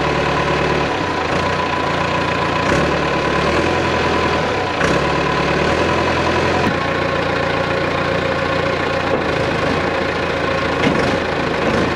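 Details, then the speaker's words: Cat 416C backhoe diesel, always tough to crank after wet conditions, started on sprayed starter fluid (ether): it catches and settles into a steady, loud, even rumble; running now after a hard start. "that's a can of starter fluid i keep on the backhoe because it's always tough to crank especially after it's been in wet conditions oh yeah it loves that loves that starting fluid"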